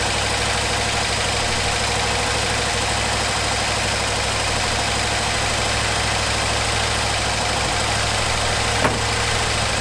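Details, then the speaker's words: 1974 Ford F100 4x4 V8, long parked, restarted after fuel pump wiring rigged up: steady, even idle with smooth low burble, no misses or ticking; healthy idle. "We'll go ahead and give this another whirl at starting and maybe we'll stay running. Sounds pretty good."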